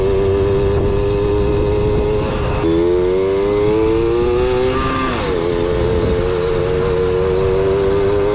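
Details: Kawasaki KS II-50 two-stroke, after carburetor service and tank cleaning, with oil mixed into the fuel because the automatic oil pump is in doubt; buzz climbs smoothly, eases off and picks up again without bog or stumble.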